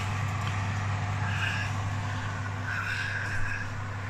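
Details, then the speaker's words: Electric oven switched back on after its heating element was replaced: a steady low hum with a constant electrical buzz and no rattles, the fan running normally and the heat returning. "can you hear that buzzing noise that's a good sound there you go"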